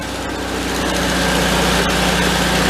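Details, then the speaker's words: 1974 VW Thing air-cooled engine running about a minute in third gear before gear oil change; steady putter with no whine — transaxle quiet and healthy in gear. "it's running for about a minute or so it's pretty quiet I don't hear it any whining out of the pants in third gear"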